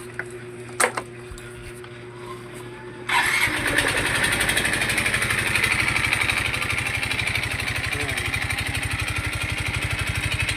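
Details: Yamaha Mio i 125 scooter engine starting and idling with a harsh, rapid metallic clatter: engine knock from running dry of oil due to a lack of oil changes.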